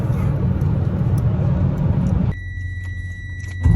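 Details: Diesel truck after a fuel filter/water separator change and fuel system priming. Deep, steady diesel rumble runs smoothly, then drops to a quieter even note with light jingling; the engine runs fine.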